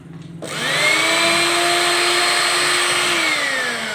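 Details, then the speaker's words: Juicer blender/grinder after repair of noisy fault (reverse-thread parts removed and refitted): clean steady high whine spinning up, even pitch, smooth wind-down, no rattle or grinding; normal running. "अल्हम्दुलिल्लाह बिल्कुल आम साफ आवाज़ होगी जैसे आवाज़ होती है।"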